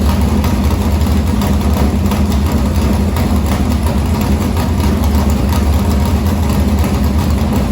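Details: Morgan Machine-built open V8 (about 358 cu in) race engine, EQ heads, likely an Edelbrock Victor Jr two-barrel intake, started after sitting a week and a half to refill an unhooked fuel line: deep, steady idle with even firing, no knocks, ticks or misses; normal idle.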